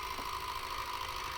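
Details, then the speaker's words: C6 Corvette at 40,111 miles, battery flat and on a jump after sitting: steady mid-pitched electric whine of the brake pump building brake pressure, running normally. "that's the brake pump building up brake pressure"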